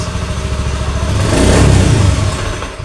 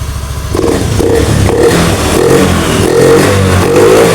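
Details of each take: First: Honda Beat FI (digital, ACG) scooter: steady idle rises briefly on throttle, then fades and dies while the MIL blinks; blinking appears when the crankshaft position sensor wiring is wiggled; engine stalls on throttle from a broken sensor wire. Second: Honda Beat FI digital (ACG matic) scooter after repair: MIL no longer blinks, repeated throttle blips rise and fall cleanly without bogging or stalling; normal revving, though it still bogs at full throttle.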